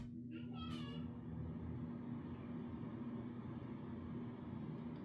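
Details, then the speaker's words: Low, weak hum of a bathroom exhaust fan running at very low power. After 5–10 minutes it makes a weird noise and barely works, compared with a normal fan; the cover is then removed and the fan inspected and cleaned. "real low power and if it sits here and runs for about 5 10 minutes starts to make kind of a weird noise and sounds like it's barely working at all"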